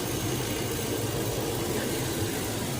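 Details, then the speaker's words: Engine idling as the mass airflow sensor at the air box is plugged back in with the motor running: steady, even low rumble with no stumbles or surging; sounds happier, normal idle. "kind of sounded like a little bit more happy right there."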